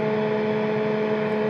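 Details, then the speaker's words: Amptweaker Type Metal Pro high-gain pedal on a board powered by a daisy chain to about five pedals; constant buzzing hum with thin whine, mostly caused by the Big Sky, whose supply noise through the shared ground is amplified by the high-gain pedal. "The interesting thing about this is what's actually causing the majority of that noise is the big sky."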